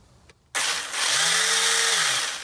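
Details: Spektrum Firma 160 ESC in a 6S rig, after switching the transmitter throttle to reverse, 100% forward and 25% reverse: a sharp clean whine rises and holds high at full forward throttle, then winds down smoothly. Normal.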